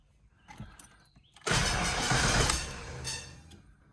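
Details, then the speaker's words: Foxbody Mustang V8 cranking just after an oil change, on a battery trickle-charged overnight after going dead: a rough ticking runs through the starter whir without the engine firing. The cause is unknown, and the owner wonders if it is electrical arcing or the starter. "Ooh, that doesn't sound good. See, we hear that ticking again. That's kind of weird."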